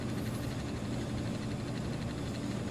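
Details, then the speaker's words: 1990s First Alert LS 230 mechanical 24-hour lamp timer (7.5 A), used for 10+ years and still working: constant low mains-pitch hum with a faint rattle, audible when the house is quiet; timer motor buzzing noisily. "you don't hear this thing buzzing and chattering away it's just when the house is quiet you hear it when you're in that General vicinity"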